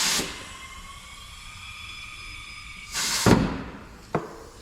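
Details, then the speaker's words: 2020 GMC Sierra after installing Ridetech helper air bags: thin steady airy whistle, a short hiss burst and a couple of knocks; suspected air leak at a threaded fitting on the other side, possibly just filling. "uh-oh I hear air leaking on the other side let's go check it out"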